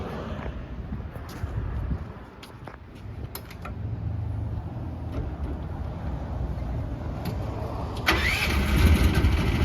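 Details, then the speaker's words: 2024 FF Industrial FF13 mini excavator with Briggs & Stratton engine, started for a walkaround: low rumble, then the engine catches and settles into a smooth, even run with no knocks; normal start and idle, sounds healthy. "I'll fire it up and show you it runs and operates."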